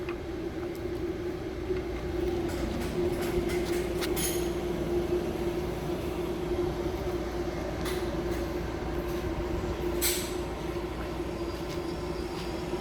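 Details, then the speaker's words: Exhaust fan of a BBQ concession trailer on shore power, switched on with its light lit and the fryer, griddle and four-burner knobs off: steady mid-pitched hum and constant airflow rush, no rattle or grinding; running normally. "so i've got your exhaust fan on as you can see the lights on itself"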